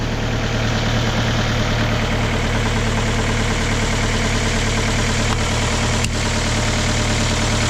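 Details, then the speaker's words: Kia Ceed 1.6 diesel just started in frost (about -12 to -14 °C outside) with a Dnipro-M JS-12P jump starter after the battery died: even diesel clatter, deep unwavering hum, smooth and strain-free; normal idle. "супер все Super Ну що народ Хай працює машинка"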